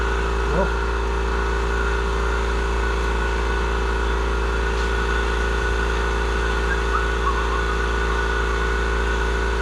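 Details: Murray 42-inch riding mower, 18.5hp Briggs & Stratton PowerBuilt OHV, after cleaning a completely clogged carburettor fuel inlet: steady even hum with no hunting or stumbling; smooth, healthy idle.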